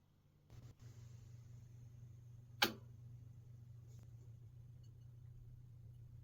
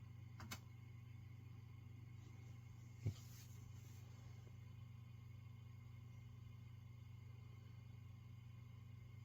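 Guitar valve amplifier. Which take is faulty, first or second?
first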